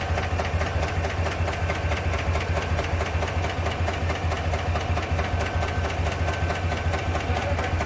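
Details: 2021 Chevrolet Tahoe/GMC Yukon V8 idling with a steady, sharp ticking over the low rumble; check engine lamp on with a misfire code and ticking noise.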